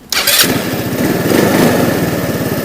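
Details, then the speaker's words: Scooter with 139 engine (Orbit), 62,850 km, carburettor previously stalling after warm-up or braking, after carb fix: catches at once without throttle or long cranking, settles into even steady idle putter; starts cleanly. "от він абсолютно спокійно заводиться то есть не треба газувати він не за ється не треба стартер крутити по пару хвилин"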